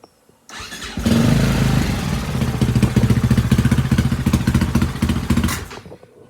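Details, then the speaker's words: 2004 Husaberg FE450 single (year per owner's memory), bought as a non-runner, started while the intake air boot is missing. It catches and chugs with uneven, lumpy firing pulses, then dies off: rough running from the missing intake air boot. "we are running without that air boot under here and that means it's gonna be running incorrectly so I'm gonna install that"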